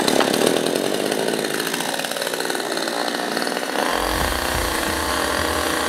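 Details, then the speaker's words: New Fujiyama GCS7800 gasoline chainsaw, started on the floor with choke then choke pushed back in: buzzes, then settles after about four seconds into an even, deeper run with no misses; healthy two-stroke, noise measured at 116 dB. "Suara kebisingan dari mesin chainsaw kita adalah 116 dB."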